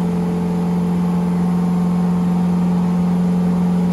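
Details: Chevy LS3 427 V8 Ultra4 car on dyno, tuned on 91 octane: steady clean drone holding high revs, no sputtering or misfire, rising at end; smooth, healthy pull.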